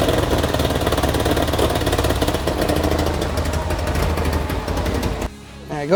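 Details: Nissan 240SX S14 after head gasket and timing chain replacement, timing still off and jumping, overheating history: lumpy, low sagging idle that never settles.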